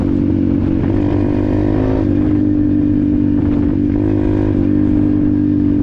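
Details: Apollo RFZ 125 X18 pit bike with a new Nibbi PE22 22 mm carburetor, stock jets and only briefly adjusted. The crisp engine note rises and holds cleanly under throttle with no popping or bogging, pulling smoothly.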